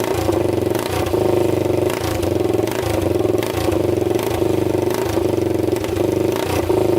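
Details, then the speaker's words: 1999 Honda 400EX quad single-cylinder after engine rebuild (new piston, rings, gaskets), first start with air box on, no muffler, throttle blips; even fast-idle thumps, clean pickup, no misses or rattles; no smoke seen. "while we're doing that we're gonna put everything back on it seems to run really good"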